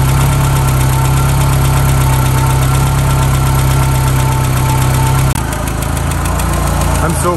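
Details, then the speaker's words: 1991 VW Mk1 Cabriolet (Etienne Aigner edition) first started after a long time not running, warming up before oil change; cold idle with light quick ticking over the engine note, fading slightly as it warms; noisy hydraulic lifter, alternator belt seemingly slightly loose. "right now uh it seems to be running okay it's got obviously some lift lifting off you can hear that"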